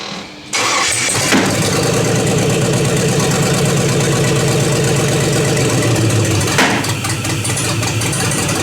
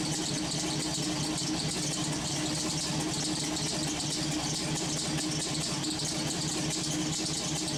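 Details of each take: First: LS V8 swap with homemade headers, started without its ECU: fires up, then idles lumpy and uneven with stumbling pops. The misfire was traced to a coil pack mounted upside down, and a vacuum leak was plugged. Oil pressure is good. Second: LS-swapped V8 on its first startups, fitted with homemade headers: a steady, even idle with a smooth low rumble under a hiss of steam, no misses. The radiator is not yet very hot, the alternator runs hot, and an unidentified pulley squeaks.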